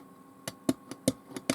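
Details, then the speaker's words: Hacker GP42 Gondolier record player turntable during service, amplifier working: platter won't spin, only sharp single clicks about every half second; motor seized or idler pulley jammed suspected. "so saying switching but i don't think the motors are the motor seized or the idler pulley's jammed so let's get the platter off and have a look"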